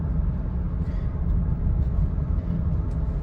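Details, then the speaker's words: High-mileage Honda Pilot after replacing the dried-out front right wheel bearing: driving at about 40 mph there is only a low, even road rumble with no hum or growl; the earlier bearing noise is gone. "so there's a big difference now it's so quiet so I'm approaching 40 and there's no more noise"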